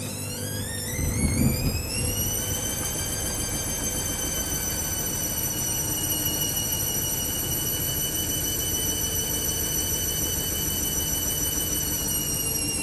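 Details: Hoover Link Whites 90 Aqua Plus washing a heavy full load of wet shed rags and sheets, first 400 rpm interim spin: motor whine climbs then holds with faint low rumble; very unbalanced, spin aborted after two bursts; bearings barely audible.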